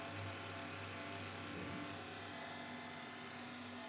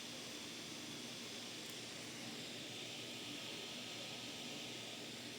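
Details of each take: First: Monster Abra A5 V16.6 gaming laptop whose owner complained of a raspy fan, louder at first start: a rough raspy whir with a low hum beneath. One fan is fine, the other runs noisily; worn laptop fan bearing. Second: Monster Abra A5 v16.6 gaming laptop after maintenance for fan noise and overheating: both fans give only a soft, even airy whir with no ticking, rubbing or whine. Normal, quiet fan operation.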